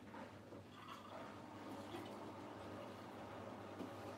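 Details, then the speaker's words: Miele washing machine: steady rush of draining water over a faint even low hum, pump running smooth and quiet; normal drain pump operation. "me the pumps they're not too loud they're just a nice quiet sort you'll hear the pump what you hear that you hear that little sort of mini chug"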